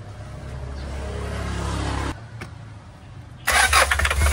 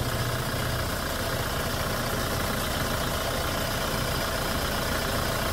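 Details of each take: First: Hyundai Starex GRX diesel cranks steadily but won't start despite a replaced fuel pump assembly, relief valve and heaters; no diesel reaches the common rail from the pressure pump, code P1183 fuel regulator; suction control valve to be replaced first. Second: Hyundai Starex GRX diesel after repair of no-start (fuel line leaks, code P1183 cleared, no fault codes), restarted and idling steadily and evenly with no knocks or misses.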